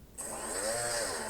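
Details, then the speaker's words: STM32 drone (MH-FC V2.2) with FS-i6 transmitter on, switch C up, in normal mode with PWM output: brushless motors spin up to smooth, high, even whine drifting slightly with throttle stick; normal motor spin. "기본 동작 모드로 들어갔고 PWM 출력이 되고 있죠. 지금 상태에서 스로틀 키를 조작하면 모터가 회전할"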